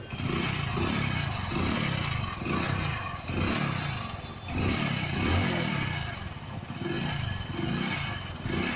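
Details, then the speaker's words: Passion Pro motorcycle at idle: loose buzzy metallic rattle over each firing pulse, even when held pressed and tight; likely cause is the silencer's internal mesh coming loose after its welding breaks. "तो जैसा कि आप सुन सकते हैं, ये देखिए जो इसकी झंझनाहट है, साइलेंसर की जो जाली होती है वो अगर आपकी निकल जाती है, उसकी जो वेल्डिंग है वो टूट जाती है, तो ऐसी साउंड आपकी भी गाड़ी में आ सकती है दोस्तों।"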